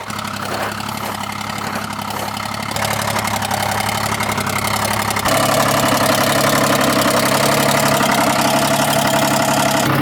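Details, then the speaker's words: Old truck towing a heavy load, engine believed to be a "screaming Jenny" motor that sounds two-stroke; steady, even buzzing drone stepping up twice in speed, smooth with no knocks; running normally. "I tell you this thing sounds amazing listen to it I was told it has some sort of a screaming Jenny motor or something it sounds like a two-stroke to me but I guess it's not"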